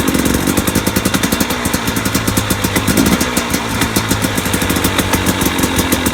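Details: 2017 KTM 250 XC-W two-stroke at idle: sharp, regular ticking knock several times a second over a rattly idle; owner wonders if it's pipe bang, source undetermined.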